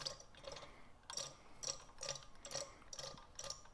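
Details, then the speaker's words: Oil pump for rebuilt 283 engine (1965 Nova wagon), spun by hand after priming with break-in oil; soft ticking and swishing at about two turns a second, tone changes and gets harder to turn as oiled gears create suction. Primed oil pump turning normally. "that's what you want you want to hear that that difference in in tone when you spin that now you can hear that the gears are coated with oil and they're creating suction and vacuum and pressure as they're as they're turning"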